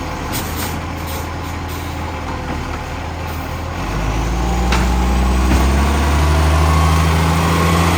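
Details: 2010 diesel: sharp regular puffing about four beats a second over the engine, growing louder as the engine takes load. Exhaust leak.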